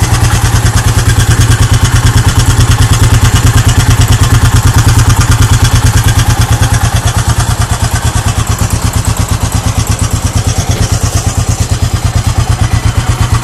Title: Gs400 clunking sound